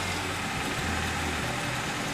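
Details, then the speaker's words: 2010 Nissan Sentra 2.0L (timing chain) idles unevenly, its low rumble skipping and stumbling; the owner suspects a bad ignition coil, not confirmed by code reader. Engine misfire at idle. "it's skipping I'm pretty sure it's a bad coil so I'm going to bring it in"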